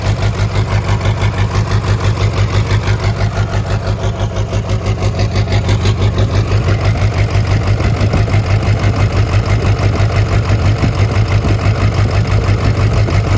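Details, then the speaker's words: Burnout diesel truck after cold weather, jump-started: deep, lumpy idle with steady thump and uneven firing, not knocking; blow-by from the oil fill cap, owner suspects a broken or melted piston; still runs with oil pressure. "it does have blow by coming out of the oil fill cap as you guys saw, but the nice part is the truck still does run."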